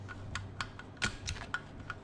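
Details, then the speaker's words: 2005 Honda TRX450R engine rebuild, countershaft spun by hand via a sprocket: sharp, distinct clicks a quarter to half second apart as the gearbox shifts from first up through fourth, with each gear locking in cleanly. "so it locks in gear so there's first then let's go up there's second third you can hear it click fourth"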